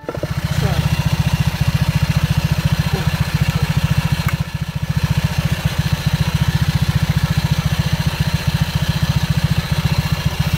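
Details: Honda PCX scooter with Yamaha Aerox pulley fitted, after 6000 km and DIY CVT cleaning: steady even putter about three and a half beats a second, no knocks or rattles; healthy idle.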